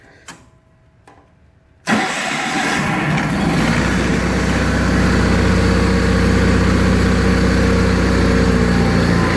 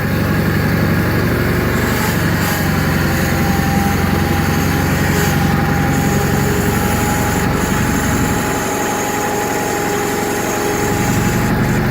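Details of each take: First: 1985 John Deere 318, cold start after sitting about three months and being reassembled. The starter turns briefly, then it catches at once and runs steadily and evenly. Healthy, though the carburetor needs a rebuild and low idle seems set low. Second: 1985 John Deere 318 after three months sitting, cold start: uneven, lumpy idle that dips; hard to start when cold, stalls if throttled down quickly; low idle suspected set too low, carburetor needs rebuild; rough idle.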